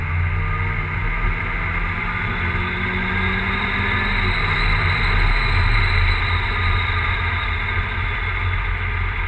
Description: Big turbo e85 volvo 940 misfiring for unknown reason